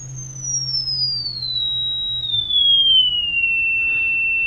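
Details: Philco 41-280 radio speaker under test with DC voltage applied to its field coil (DC resistance measured oddly low): clean test tone glides from high to mid pitch without buzzing, rattling or breakup; speaker working fine.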